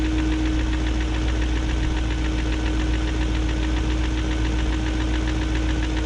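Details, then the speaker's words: 2001 BMW E38 740i Sport V8 idle: light uneven ticking about two per second on top, still present after second timing chain guide and VANOS profile gasket job; no codes, injectors audible; owner suspects VANOS unit, unconfirmed. "i don't know i guess it's just going to have a tick unless the vanoss unit's gone out"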